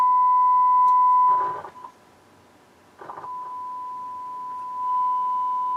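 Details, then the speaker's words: Harman Kardon HK3600 stereo receiver with failed capacitors, left channel quiet and right distorted: test tone cuts out with scratchy crackle and returns weaker as the control turns; faulty potentiometer. "Oh, it's a messed up pot."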